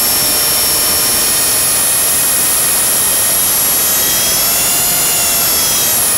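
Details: Blade 300 X RC helicopter in Idle Up, where it twitches oddly: a loud, high, buzzing whine with a quick pulsing beat during spool-up. Abnormal noise, source unclear.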